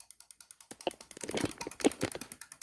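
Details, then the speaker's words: Homemade oscillator and flip-flop bleeder cycling four solenoids at a time on a Land Rover ABS solenoid pack, ear held to it; crisp even clicking about ten per second, steady throughout: solenoids operating normally. "you tell me is that thing clicking put your ear up to it yeah okay we're doing four at a time"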